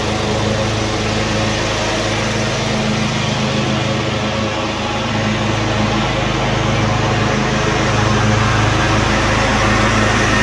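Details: Cub Cadet RZT-50 zero-turn mower engine after crankshaft seal replacement and new aftermarket carburetor (original freeze-damaged): steady even drone with constant low hum, no knocks or misses; running normally.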